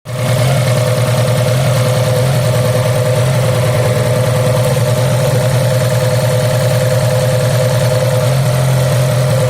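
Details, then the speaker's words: Fiat Punto 4-cylinder petrol engine idling with an uneven, lumpy beat from a cylinder misfire caused by a faulty high-voltage ignition lead, found by pulling leads one at a time; fixed by replacing the bad lead or spark plug. "Fiat Punto is a 4-cylinder engine, which means that one of the cylinders may malfunction and cause shaking."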